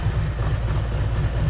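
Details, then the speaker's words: Motorcycle that sat outside for a year, new battery a week earlier; deep even thumping idle with steady beat, no misses or stumbles; running real smooth, normal idle. "So it just gotta be started. Real smooth."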